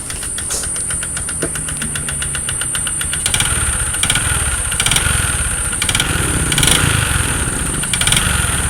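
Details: Platina 100 motorcycle, 28,547 km, before piston ring replacement: hollow metallic knocking about four per second over rough idle, louder with throttle blips; piston slap from worn piston.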